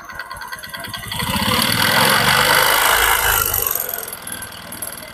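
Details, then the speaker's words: Honda Supra X 125 kick-started, revved slightly from idle: harsh rattly roughness rises with revs; rough internal top-end noise, suspected cam chain or conrod/piston, possibly piston, not confirmed. "sedikit Suaranya sangat jelas ya sangat kasar dan ini suaranya bisa ditimbulkan dari bagian buaklos dan bisa juga dari stang piston atau di bagian piston"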